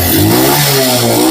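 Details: CD70-type motorcycle after timing chain replacement for chain noise: short throttle blip with a clean rising note, no chain slap or clatter; normal engine rev, problem fixed.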